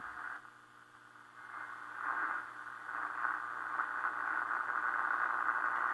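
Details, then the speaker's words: 1932 Emerson 25A superheterodyne tube radio. A hissy, buzzing rasp sits over the tuning noise across the whole band: interference picked up from a nearby fluorescent light. "interference you can probably hear it hear it in the fluorescent light that's what this is picking up right there and throughout the band"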